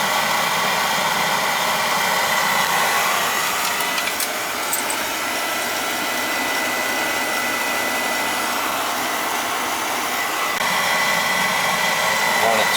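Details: Oil burner after service, filter changed because it was clogged with gelatin-like sludge, possibly water or a bad batch in the outdoor tank: constant airy roar of fan and flame, no pulsing, rumbling or sputter; flame nice and red, firing smoothly.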